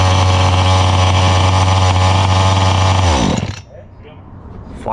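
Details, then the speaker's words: Brand-new Rovan XLT450 45cc two-stroke RC truck on stock factory needle settings, early start: steady, even buzzy idle for three seconds, then clean cutoff; idle a touch fast (owner would lower via low speed needle 1/8 counterclockwise); normal idle. "We've confirmed the stock factory needle settings are on point, although I think I would lower the idle a little bit by adjusting the low speed needle a little bit counterclockwise, about 1/8 of a turn in the future, but right now this is okay."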